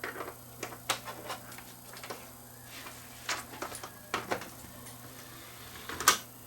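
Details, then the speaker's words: Toshiba SD6100 DVD player from an estate with a no-play fault, tray belt left original and a swelling capacitor noted, powered up to test the tray; quiet motor hum, light clicks and a firm closing clunk; tray doesn't slip, working normally. "That's good. Doesn't slip."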